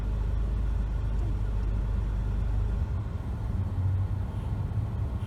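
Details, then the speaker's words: 2007 Toyota Corolla S driving, one year after replacing the damaged steering yoke that caused knocking on turns: steady low road rumble, no knocks or clunks while steering; steering operates quietly and smoothly. "Yeah, after a year, the steering still operates quietly and very smoothly, and we never heard any knocking sound anymore after I changed the steering lock."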